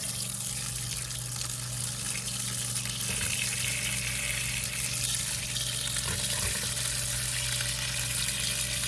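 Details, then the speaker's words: Shallow water pump restarted after six months idle, valve nearly closed then opened slightly: steady low motor hum under hissing, gurgling rush as air bleeds out; still priming and drawing air before pressure builds. "I'm going to open the valve up a little [Music] bit hear the air trying to come out"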